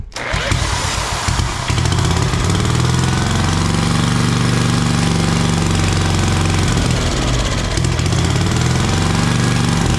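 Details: Briggs & Stratton 8 hp single on a Troy-Bilt tiller, after locked-up engine repair with new head gasket and surfaced head, air cleaner off: catches within a second, steady even fast thump, no knocks; runs, though carburetor needs cleaning.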